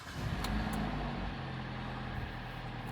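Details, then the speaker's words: 2014 Kia Sportage 2.0 G4NA, 150,000 km, AWD, automatic, first cold start after block boring and oil-jet installation for scored cylinders and piston knock: engine catches and holds steady quiet idle, no knocking or ticking; oil pressure up. "Давление пошло. Всё, машина заработала."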